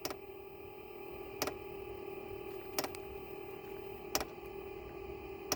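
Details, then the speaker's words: Velit 4000P gasoline heater fuel pump under a 2023 Ford Transit van, first startup priming from the factory tank auxiliary port, heard underneath: crisp ticks about every 1.4 seconds over a low hum; normal dosing pump priming clicks. "so the fuel pump just started clicking so what we're looking for just to see if we're pulling gasoline"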